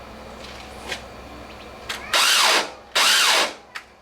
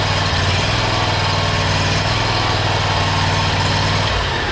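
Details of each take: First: 1996 Cub Cadet starter; two short bursts of high whine spin up and fade with no engine turnover, the starter freewheeling and not engaging the flywheel. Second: 1996 Cub Cadet, small single-cylinder engine, after starter removal and repair (starter previously spun without cranking the flywheel); starts, runs steady and even for a few seconds, then shuts down.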